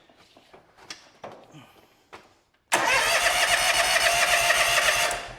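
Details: John Deere X300 series lawn tractor with crank-no-start: a few quiet clicks, then steady cranking at three or four beats a second while checking fuel pump flow, never catching; crank no start, no spark.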